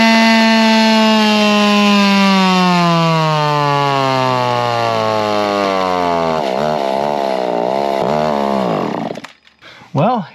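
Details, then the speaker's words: Echo stroker 3-cubic-inch racer chainsaw converted to gasoline, wide open on the dyno: high two-stroke scream sagging as load builds, then wavering; loses power, needs fine tuning. "not quite what I was hoping for but as you could hear there's still a little bit of fine tuning that can needs to be done done"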